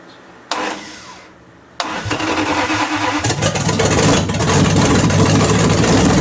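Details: 1929 Chrysler with a 360 V8 and 707 transmission, first start after correcting an electric choke set too far closed and setting idle; homemade carb gasket: brief crank, then catches into a steady, even rumble with some revving. Healthy start.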